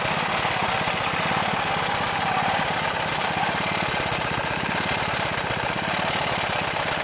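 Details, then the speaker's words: Rebuilt Briggs engine with new rubberized head gasket and muffler, venturi adjusted: steady even fast putter with crisp regular firing, no stumbles, idle set a touch high on purpose; normal idle. "It's not idling real low, but I don't want it to idle too low."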